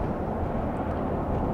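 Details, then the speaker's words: 2008 Ford Expedition after adding a shudder-fix additive to dark, unmaintained transmission fluid, driving at the speed where torque converter shudder occurred: steady, even road and drivetrain rumble, no pulsing or judder; shudder gone, shifts better. "Seems like it worked. Have not had any shudder. I'm going at the speed at which it happens on this particular vehicle."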